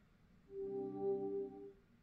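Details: Samsung UN58TU7000F boot-looping TV during diagnosis, power supply reconnected: one short organ-like chime of stacked steady tones, about a second, as it powers on and the backlight comes up fully lit; problem still present.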